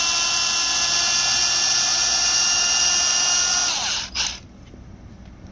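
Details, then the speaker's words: Brand-new Milwaukee M18 CAG125 125mm angle grinder straight out of the box: high, steady whine with sharp whistling tones at free speed, then quick brake to stop; motor sounds tight, smells electrical; abnormal motor noise. "Doesn't sound very good. Like it was tight in there. Smells a little bit electrical."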